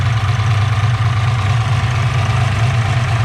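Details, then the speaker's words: Ford Mustang Fox body with a turbo 363 stroker, after fixing a suspected header exhaust leak: even, deep idle rumble with no ticking or puffing and a steady beat; healthy idle. "definitely nice I don't hear any tick whatsoever"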